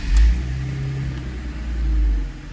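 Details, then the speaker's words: BMW E46 start and rev after Vanos rebuild with new seals and fresh intake filter; catches and revs smoothly with even deep note and steady intake rush, no misfire or rattle; healthy. "cool I hear it sucking so everything under the hood looks good um intake sounds good"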